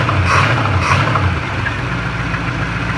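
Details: 1988 Chevy Caprice with swapped 305 small-block V8: lumpy idle with an uneven low knock a few times per second from behind the block. Owner suspects the flywheel or transmission; the transmission also won't shift out of first gear.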